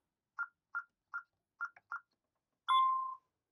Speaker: Zone 2 being faulted, however, my ready light is off. Shows hit star for faults. Usually if it shows that, you know you have an issue.